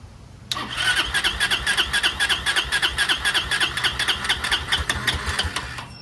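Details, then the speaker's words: Chinese 150cc scooter (TNG Verona / E-Jewel) with overheating complaint, before carburetor clean: steady fast starter whirr with regular compression pulses, about four per second, never catching while fuel refills the empty carburetor bowl; crank, no start. "We're just going to crank it and see if it stays running. I think I see fuel going there. Transparent kind. So it has to fill the fuel bowl."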